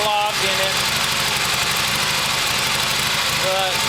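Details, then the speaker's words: 1972 Harley XLH Sportster-based homemade motorcycle, battery fitted, half choke/enrichment: ragged, hissy, unsteady idle with no clean beat. Runs poorly; carburetor faulty, idle circuit believed clogged. "So it does run. Doesn't run very well cuz the carburetor's messed up. Um The idle circuit must be clogged"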